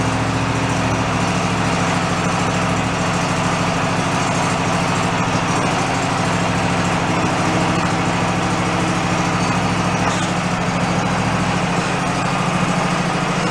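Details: Toro zero-turn mower, small single engine, sat about 10 years; settles into a steady, even idle with no misses, knocks or surging; runs healthy.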